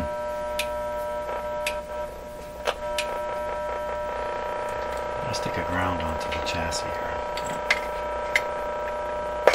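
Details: Canadian Westinghouse 981 shortwave radio after all its paper and wax capacitors were replaced; a steady low buzzing hum sits under everything without changing, mains hum through the set, source not yet found and guessed to be external.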